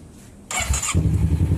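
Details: Kawasaki Versys 650 that cranked but wouldn't start, after wiring repair and with the tank temporarily fitted: the fuel pump runs, the starter whirs briefly, then it catches into a steady, even low putter. Normal start.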